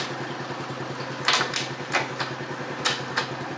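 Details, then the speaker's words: Dafra Zig 50 scooter brought in for dying at idle and not starting on the electric starter; cold engine, just washed, started with brake held. Very quiet, even, standard idle, neither too fast nor too slow, with a few light clicks; normal idle. "Tá aí, ó, motor silenciosíssimo, tá? Uma lentazinha padrão, tá? Não tá nem acelerada, nem lenta demais."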